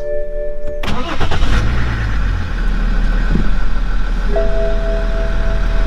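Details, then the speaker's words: BMW E61 530xd, M57 diesel, about 400,000 km, cold start after sitting overnight, after injector 6 replaced; brief starter whirr, then even smooth idle with no knock or chain rattle, much better than before. "If I am to be honest, the car sounds pretty good, pretty smooth. Previously was much worse."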